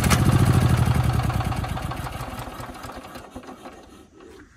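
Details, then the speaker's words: Old Yamaha EF6000 generator with a cleaned carb that won't start, with spark, timing and compression confirmed: fuel dribbled down the plug hole makes it fire, chug, then die, showing fuel starvation. The owner suspects a broken intake vacuum line. "interesting so the engine sounds good we got timing we got spark we got compression but we don't have fuel"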